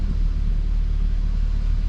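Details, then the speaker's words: 2015 Audi S3 EA888 turbo petrol at first start after water pump and thermostat housing replacement and intake valve carbon cleaning; steady even idle rumble, no stumble or misses, cured cold-start stumble from carbon buildup. "All right. Idle's nice and smooth."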